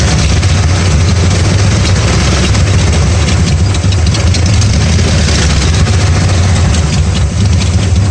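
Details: 1994 Dodge Ram 5.9L with codes 37 and 51, rough idle and backfiring: heavy, uneven low idle that lumps and stumbles without settling, misfiring from a failing crankshaft position sensor; replacing the sensor restored normal running.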